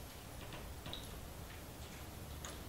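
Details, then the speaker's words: Battery-powered DC electric fence energizer on a 12 V battery, just connected: faint sharp ticks over a quiet background, one pulse roughly every two seconds; working normally. "yeah you can hear it clicking that means it's shooting out a jewel every you know two seconds or so"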